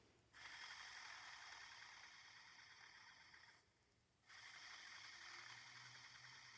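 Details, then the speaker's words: Rockwell Delta drill press chuck spun by hand after rust removal: a light, rapid metallic rattle of about four ticks a second, fading as it slows. Loose internal parts. Chuck rattle. "It's still got a rattle in it, though."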